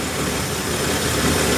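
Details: 1963 Ford F100 six-cylinder, sludged engine, just after valve adjustment (#1 intake loose): steady, even idle, no tapping or clatter; much nicer than before.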